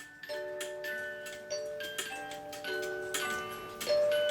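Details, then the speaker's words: Swiss-style German clock music box: tune slow and dragging with notes spaced wide apart, with extra weight added to the movement. Owner suspects the music box itself, with the teeth not coming in close enough. "but that's cuz I had to add extra weight on there so you can see how slow it's going now I think the music box itself is messing up"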